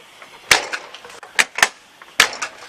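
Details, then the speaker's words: RV door with an RVLock lock after adding a 3 mm machined shim behind the strike plate: three or four sharp slams, each with a crisp single latch click and no rattle; the latch now catches properly. "And you can hear it when you slam it. It really sounds like it catches a lot better."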